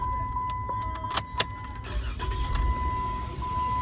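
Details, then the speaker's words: 2014 Jeep Wrangler 3.6 with intermittent shut-off and crankshaft sensor/cylinder 1 misfire codes, just cleared, possibly after engine rebuild or head job: restart into a quiet, smooth low hum under a chime with cabin clicks; idles evenly, no codes returned. "let's start the engine sounds nice yeah"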